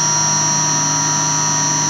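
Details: 1966 Hitachi three-phase lathe motor on a VFD, after replacing groaning, howling bearings with NTN 6306 units and cleaning the coils: steady even hum with constant electrical whine, no bearing noise; healthy running after repair.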